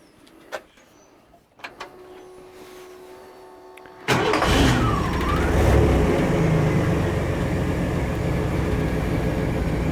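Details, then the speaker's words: 1947 Chevy on 1991 GMC Sonoma chassis, 4.3 V6 with 700R4, after swapping factory TBI fuel injection for a carburetor; a few clicks, quick start, then steady even idle with no misses, "runs so much better"; normal running. "other runs great runs so much better"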